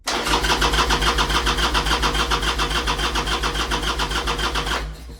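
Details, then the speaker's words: 1998 Harley-Davidson Sportster sitting 2-3 years, fuel on, enrichener out, in neutral: starter cranks steadily about three and a half beats a second for five seconds but never fires; crank no start, owner suspects carburetor not getting gas. "I got a feeling it's not getting gas. Like, what the hell is going on here? It's not getting gas."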